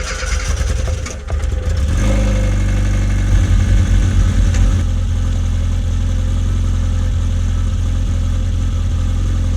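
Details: Classic Mini fuel-injected (MPI/SPI) after fuel filter replacement: cranks briefly, catches about two seconds in, settles to steady even idle, no misses or knocks; normal idle.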